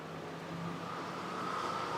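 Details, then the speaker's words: Bosch brushless PWM radiator fan from a 2009 Volvo XC90 swapped into a 1967 Firebird, driven at 128 Hz negative PWM, duty changed from 20 to 40%. Soft whir grows louder, hum climbing in pitch over two seconds; fan speeding up normally. "Hear the change in pitch. That's the fan speeding up."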